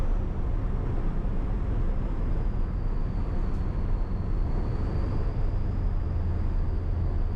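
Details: Ford 7.3 PowerStroke diesel, first start after new KC turbo, up pipes, new plenums, oil crossover kit and fuel bowl reseal: deep steady even idle rumble, no knocks or rattles; stronger, idle changed, owner guesses crossover tube; normal idle.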